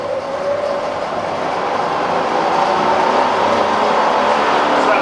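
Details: Fully rebuilt Bridgeport milling machine with new gears and all bearings replaced in the head; head running with a steady, even whirring hum and no knocks, rattles or grinding, smooth and healthy.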